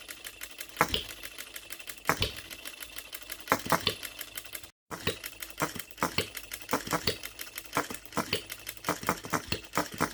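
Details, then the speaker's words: Brand-new OKMO Retrol B02 miniature petrol hit-and-miss engine on its first start, unadjusted out of the box, running on shellite: crisp firing clicks in short groups, with coasting gaps that shorten later. Even, normal hit-and-miss governing. "Listen to that hit and missing. I'm so pleased with this. Look at that running."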